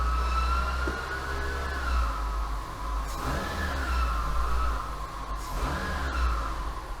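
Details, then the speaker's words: 2018 Renault Duster, H4M 1.6 16V engine, 45,812 km: a steady high whistle over the engine, heard at idle and held near 1750 rpm, located with a long screwdriver. The mechanic first blames the alternator front bearing; water pump bearing whine. "это передний подшипник на генераторе он мне прям очень нравится"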